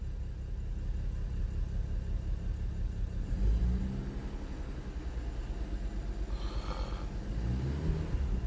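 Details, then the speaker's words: BMW N55 with new plugs, injector and gaskets, old coils; idles fine but misfires when revved, uneven lumpy beat in the rise and fall of revs; misfire on cylinder 5/3, with smoke and coolant loss; owner suspects head gasket, unconfirmed. "When it starts up, it doesn't misfire, it idles fine, but when I start revving the car, then cylinder 5 starts misfiring."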